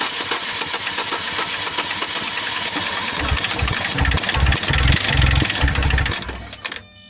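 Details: Chevrolet Lacetti engine knock, cause unknown to owner: hissy running engine with loose, uneven low knocks about two per second that swell midway.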